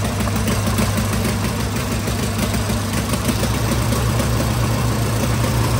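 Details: Tractor engine after 12 months standing, fresh oil, doors open: steady even idle with regular low beat, traffic noise behind; normal idle.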